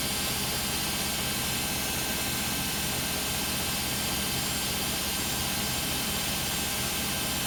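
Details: Beko WM5100W 5kg washing machine, found on the street and plumbed in, test-running a rinse with rags: a loud, steady roar with hiss rises to full spin speed and holds during a roughly 10-minute spin. Too loud for a normal spin; cause unclear.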